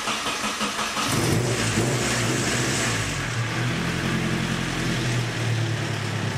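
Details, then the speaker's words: 1972 Datsun 510 with turbo KA24DET swap, after replacing CX Racing manifold gaskets with aftermarket stainless ones: fires up to a smooth even idle, no ticking or puffing at the manifold; exhaust leak fixed, sealed under the hood. "all right it seems like those gaskets fixed the problem it's actually sealed up under the hood now I don't hear any obvious exhaust leaks"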